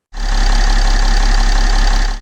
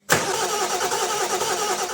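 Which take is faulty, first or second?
second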